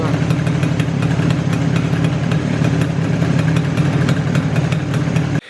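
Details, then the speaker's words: Izh Jupiter two-stroke with Kent pistons in cylinders bored to a wide 0.2 mm clearance: regular sharp metallic ticks over a steady low idle that disappear under load, unlike typical ringing. It fits piston slap from the excessive clearance. "звук этот в отличие от типичного звона который звонит именно под нагрузкой этот звук наоборот под нагрузкой пропадает"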